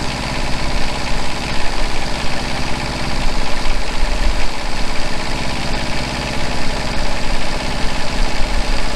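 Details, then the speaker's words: Truck-mounted generator after new generator head and smaller pulley, head at 3600 rpm and engine about 1950 rpm: steady, even drone, quieter, with the earlier high-pitched squeal gone; runs smoothly. "okay we got the generator generator heads running at 3,600 rpm and the the engines running at about 1950 so you see it's a little bit quieter and a squeal is gone"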